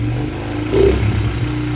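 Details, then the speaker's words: Two-stroke dirt bike starting after the carburetor was cleaned and its jets wired through. It catches and holds a steady, slightly fast idle with one quick blip, and the idle is noticeably a little high. The engine is running fine. "Idle's obviously a little high."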